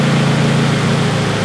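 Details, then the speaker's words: Acura RSX idling after the fuel pump was disabled through the JDI Ghost Lock app. Idle steady at first, then the low beat turns ragged as the rail empties and air-fuel goes completely lean: lean stumble before stall. "And as you can see, the car just died. I noticed it was dying because I went completely lean on the air fuel."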